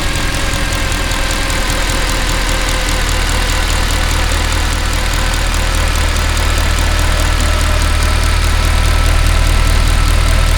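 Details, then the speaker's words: Mercedes C63 AMG, M156 V8, after camshaft adjuster repair and full service (had cold-start rattle and engine light): deep, steady idle with even beat, no lifter tick; runs nicely, no engine lights, quiet once lifters bled through. "So runs nice, no engine lights, nice and quiet once the lifters have bled through."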